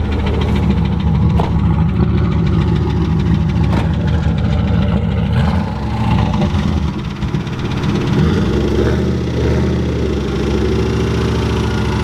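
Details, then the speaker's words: Turbo Ford Mustang Bullitt, hesitating and breaking up all day then running great before failing: rough V8 rumble with irregular sharp taps as revs settle; owner calls it rod knock. "it was acting a little weird all night and then it cleared up started running great they always say they run great before they blow up and then we got rod knock"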